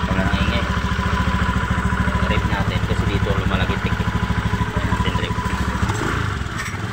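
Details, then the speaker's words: Honda Beat FI v2 scooter with the CVT parts refitted and the cover off, rapid engine beat with a loose metallic clatter from the drive side; crankcase bearing confirmed faulty, its ring loose so the drive shaft wobbles; worn crankcase bearing. "maingay Crank Cas nga to oh magr dito sira yung ano Crank case confirm Crank case yung sira"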